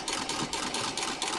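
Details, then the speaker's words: Treadle sewing machine, upper Pitman rod ball bearings dry of grease, partly repacked with Vaseline and turned by hand: light regular clunk about four per second over the whir. Bearings still knocking, but quieter than before. "every time I move the petal because all the grease is gone in there the ball bearings are hitting the axle for the flywheel"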